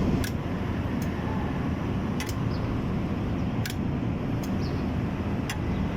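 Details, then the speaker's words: Hard-starting diesel engine, glow plug relay pulled and tested with ignition on: sharp, sparse clicks above a steady fan-like hum, repeating after about 3–5 seconds; relay switching normally, no fault there. "so since that we hear a clicking sound then up again so there is no problem here"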